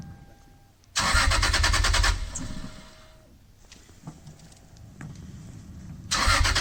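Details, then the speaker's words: Lexus SC300 with a 2JZ-GE engine, 6262 turbo and 5-speed manual on a cold start: a brief crank, then it catches and roars to a fast idle, settles, then another start burst; a hard start, with an aftermarket crank position sensor suspected. "now that difficult start might have actually been because of the crank position sensor but aftermarket"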